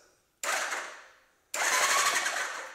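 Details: Old Suzuki motorcycle, after cleaning corroded switches and a terminal with WD-40: two short bursts of bright whirring from the starter, each dying away quickly; starter engages and turns normally. Normal starter cranking.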